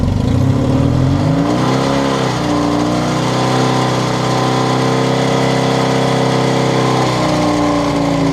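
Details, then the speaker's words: Yamaha XS650 with a newly installed Hughs Handbuilt PMA and CDI kit, revved while charging voltage is checked: revs cleanly, holds a steady high drone, then drops back evenly; healthy. "So here's showing charging voltage. Rev it up a little bit, Dan, to 4,000."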